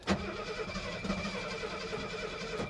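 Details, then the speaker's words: 1972 Mercedes 250 that sat at an auction site for months: starter cranks repeatedly with no catch, and no fuel-pump hum is heard at key-on; owner suspects no fuel delivery; crank-no-start. "one more time come on baby I don't hear hear a a fuel pump coming on when I do"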